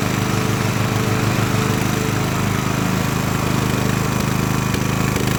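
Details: Craftsman LT1000 riding mower with swapped-in Briggs & Stratton engine, warmed up after a week unused, test-mowing tall grass with unsharpened blades: steady even drone at constant speed with slight rhythmic pulse, no knocks or misses; runs healthy.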